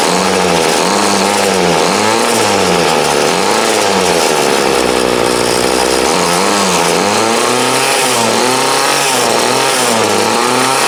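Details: 2008 Troy Bilt TB20CS 31cc two-stroke trimmer, fuel lines, filter and primer replaced, warm after about 5 minutes idling, wanted half choke; raspy buzz surges and sags, stumbling off idle before catching: carb dead spot needing tuning.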